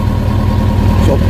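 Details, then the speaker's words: Kawasaki ZX-6R after 10 years idle, carbs cleaned, airbox off, direct fuel line tank to filter, smoke clearing. Deep, steady, loud throaty idle, gruff low rumble; owner notes slight stutter but considers it good. "Got a little bit of a stutter, but I mean, bearing in mind it hasn't run for a long while, I think that's pretty good."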